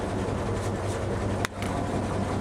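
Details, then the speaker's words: M35 truck with an inline-six gasoline engine, first start of 2020 with the oil a bit low, warmed up: steady, even low idle rumble with no stumble, and it didn't stall. Normal idle. "okay it's sounding a lot better that's a good sign and it didn't stall while we were outside"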